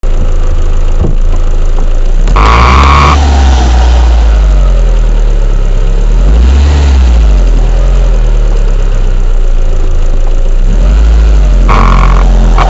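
Heavy low rumble that swells and falls with each rev blip, with a harsh rattly burst on the rise-up; something is off, cause unclear.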